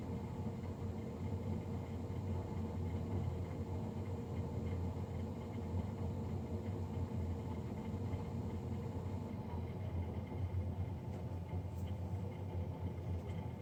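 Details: Navien NCB-240 boiler, serviced Jan 31 2020 and recorded Feb 3 2020: loud, steady low drone with constant rumble throughout, the combustion fan far noisier than it should be; cause suspected, not confirmed.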